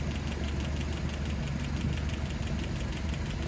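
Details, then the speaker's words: Land Rover Series 3 at idle after valve clearances were reset, listened through a hose; fast light tapping over the low rumble from cylinders three and seven; valve tick, possibly needing readjustment. "yikes that three is really tapping still and seven"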